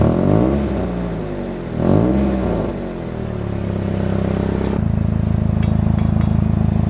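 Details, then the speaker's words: Nissan 240SX, lowered, after a sponge was added to stop the low exhaust clanking; engine revs then settles to a steady idle with no rattle or buzz and less drone; exhaust without rattle. "that is solid oh yeah [Music] oh yes way less drone sounds so much better going on bums without it clanking anymore"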